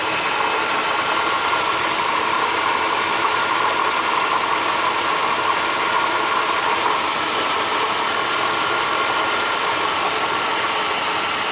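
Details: Running engine with a constant gritty, scraping whir and squeal from worn water pump bearings, meaning the water pump needs replacing.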